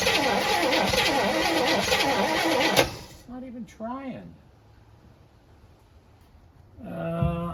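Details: 1964 Chevy Impala sitting almost 50 years: steady rapid cranking about two and a half turns a second that never fires; something sounds off to them, good spark confirmed after; cranks, no start.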